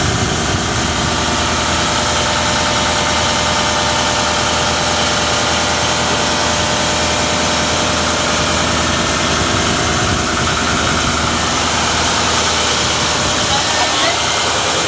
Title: turbo failures due to damage nozzle ring...